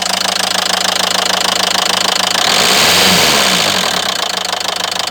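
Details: Renault Megane 3 diesel at idle: sharp, regular metallic knocking about three per second, clear and prominent, that appeared suddenly after idling a while; knock of unknown cause.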